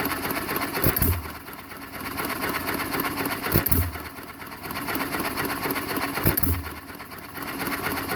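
Sharp single firing bangs about every three seconds with quiet coasting between, evenly spaced; the hit-and-miss engine is governing properly.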